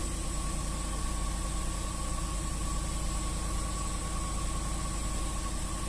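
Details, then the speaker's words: Range Rover 4.2 V8 with supercharger, 30,000 mileage, cold-start misfires, low compression cylinders 7 and 8, after valve clearance adjustment: even, steady idle about 900 falling to 700 rpm, no stumbles or supercharger knock; smooth idle. "работает ровно так как бы мотор чувствуешь в салоне когда сидишь может быть подушки дубовый уже все таки 30 тысяч пробег"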